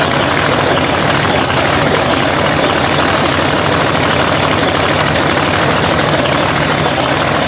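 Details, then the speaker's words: Blown 3,500 HP Hemi drag truck, rebuilt overnight after a 3-second pass, restarted in neutral. Very loud, steady, hard-edged idle with no misses, knocks or rattles throughout; oil pressure reported coming up; runs healthy. "It fucking runs! They restarted. worked off right away."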